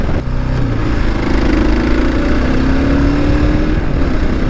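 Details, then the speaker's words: Kawasaki KLR650 Gen 2 single-cylinder running smoothly through mid revs with no buzz or rattle over exhaust, ruling out the engine; vibration blamed on the SW Motech skid plate. "right there that's enough to tell me that it's not an engine issue because we would have definitely heard the buzz"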